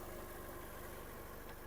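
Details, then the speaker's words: 2005/2006 Volkswagen Golf Plus, 1.6 MPI petrol, Aisin torque-converter automatic, 178,000 km, idling with the bonnet open: quiet, even idle with a steady low pulse, no knocks, ticks or stumbles; runs smoothly without smoke or misfire, normal idle. "Мотор працює тихо, рівно, не димить, не троїть, не сапунить."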